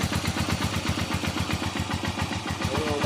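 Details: Haojue 125 single-cylinder after engine overhaul with transmission and crushed needle bearing replaced, new bearings needing break-in: quick steady idle pulses, no knocking or grinding; running right.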